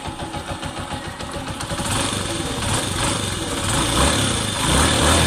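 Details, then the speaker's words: Honda TMX 125 single-cylinder engine after a rebuild for repeatedly failing, crushed needle bearings: idles evenly, then picks up slightly, very quiet with no knocking or rattling. Normal idle. "Okay na quality tahimik na tahimik ang makina parang Wang nangyari"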